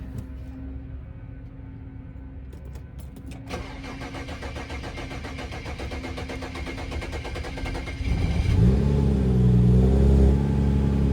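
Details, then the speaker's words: BMW 335i cold start: starter spins evenly about four seconds before the engine catches and flares; failing high pressure fuel pump suspected, stored code won't clear. "Y'all see? Takes a little minute to start up, but once it gets going, you know, it gets flowing and going."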